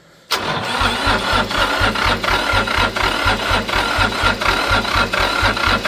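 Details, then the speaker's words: International 285 4x4 diesel tractor (title says 284), restarted after first revival with ATF in cylinders: cranks, catches and settles into a steady even chug about four beats a second, no knocks; starts and idles fine. "I'd say it runs pretty good. All that white and black smoke is definitely from the ATF."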